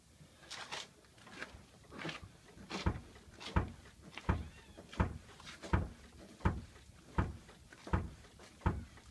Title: 1985 280sl Name that suspension noise